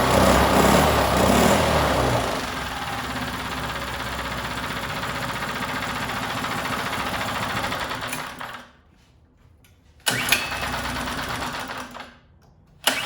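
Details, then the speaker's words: New out-of-box 79cc bike kit engine on a table, fitted with Chinese muffler and air cleaner: fast even buzz at raised idle held by governor, cutting out twice near end; won't start on low idle, owner plans to remove governor. "now you can turn this idle down to where it sounds more like you're just uh thumping along uh at an idol i mean for just for it just sitting but it won't start up with it on low idol so these are notorious that you got to have a high idle"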